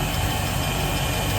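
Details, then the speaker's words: Volvo Penta 5.7L V8 marine engine just after fuel pump assembly replacement, started after ten key cycles to prime: steady, deep idle with even low pulse, no misses or knocks, no leaks; normal idle. "no leaks we're just gonna need to uh test run the uh engine later on but i'm very happy with the thank you phantom much"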